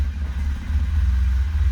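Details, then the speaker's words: 1977 Alfa Romeo cold start after letting the fuel pump prime about 30 seconds: deep, even low rumble with steady firing, no knocks or misses, oil pressure up; healthy cold idle. "Okay, she'll, nice. Okay, all pressure's right up. Car's amazing."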